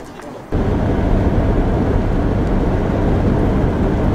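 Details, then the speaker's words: Ford V8 Pilot after replacement distributor and carburettor and fresh coolant, starting after a classic car meet; catches and settles into a steady, even deep rumble with no knocks or misses. "it seems to drive really nice thing sounds really good it started instantly this morning"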